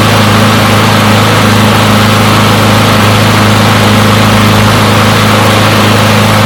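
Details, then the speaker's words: Push mower from a neighbor who said it wouldn't start; run to warm up after long disuse. Steady, even single-cylinder putter at one speed with no misses or surging; runs pretty good; normal running. "well it seems like that runs pretty good"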